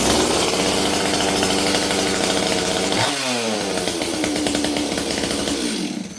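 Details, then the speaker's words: Stihl 026 chainsaw rebuilt after a month of not running, restarted warm after sitting 3 days: fires with high buzzing rev then settles to a stable, even idle no longer hunting up and down; normal warm start and idle. "Okay. So, now notice, friends, this saw, listen to it idle. Notice it's very stable now. It's not going up and down and all over like it was before."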